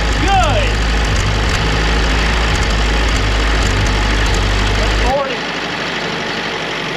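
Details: Early-1940s Ford GPW WW2 jeep, parked since about 1965, first run after revival; even, steady idle with firm low rumble, no knock or rattle, over 40 psi oil pressure; normal idle.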